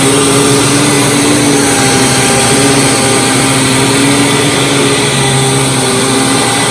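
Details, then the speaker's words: Hoover WindTunnel Supreme U5468-900 upright vacuum before refurbishment, power switch finicky: even motor whine and aggressive brush roll grooming carpet, no rattles or dips; normal upright vacuum running. "Grooms the carpet very well and you'd hear that brush roller is very aggressive"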